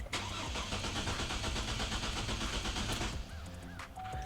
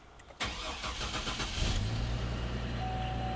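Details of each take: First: 2004 GMC Envoy with the fuel pump relay pulled, started to bleed fuel-line pressure before fuel pump and filter replacement for a leaking fuel tank/filler inlet: it catches, runs roughly about three seconds, then dies from fuel starvation. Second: 2004 GMC Envoy after fuel tank, fuel pump, filter, filler neck valve and fuel pump relay replacement, system primed: brief crank, catches at once and settles into a steady, even idle; healthy start.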